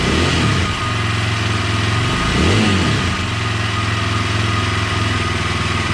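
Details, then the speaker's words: KTM 620 LC4 single-cylinder after stator replacement, first start once buttoned up: steady even thump at idle, one clean throttle blip and back down; runs smooth and healthy, normal idle and revving. "so I think we got it she's a running sounds like it's running pretty good"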